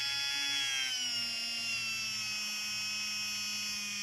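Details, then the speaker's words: Tamiya 58001 Porsche 934 brushed motor on a bench power supply at 5.2 V, after lubing the shafts, run to seat: a steady high whine with no crackle; it sounds healthy and the commutator looks good. "there we go we can run that for a while just to make sure it's all nice and seated the commutator looks really good"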